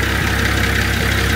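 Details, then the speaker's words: Nissan TD42 diesel after oil change and bleeding air from the fuel system: steady, even idle with a smooth low thrum and no knocks; runs much better now. "Yes sounds so much better how are the sound inspector honing into those"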